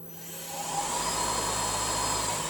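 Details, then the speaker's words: Original Tormach RapidTurn lathe spindle, run up through the high-speed range in steps for comparison with a replacement unit: smooth even whoosh with steady high tone, no knocks, grinding or tinkle; running healthy and quiet. "so it's just a whoosh sound it's no other sound again a lovely smooth sound no beer in tinkle"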